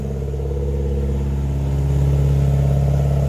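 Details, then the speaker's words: Nissan Silvia S13 in neutral, running consistently for the first time after a fuel system rebuild. Deep, even exhaust rumble with a firm rev that climbs and holds cleanly; full power, no misses. "we got full power folks they're gonna hit oil throw that's wonderful"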